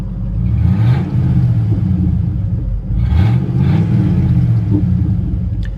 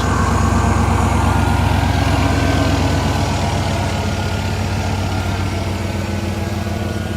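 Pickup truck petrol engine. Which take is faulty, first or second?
first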